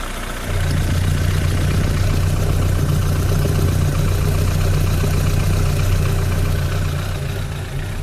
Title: стук в моторе из-за замёрзшего маслоприемника...